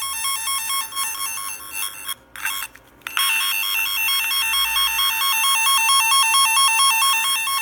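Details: Repaired F set twisted-pair tone tracer: even warbling two-pitch tone trilling about twice a second, briefly cutting out then coming back strong as tones are switched; a poor connection is still being sorted out.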